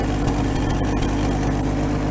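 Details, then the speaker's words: 1950 Chevy that sat outside for 21 years, running on its fuel pump with the ignition jumped. A small carburetor adjustment follows, and it holds a steady, even low rumble with no misses or knocks, a healthy purring idle. "look at that oh my god look at this thing it's just purring"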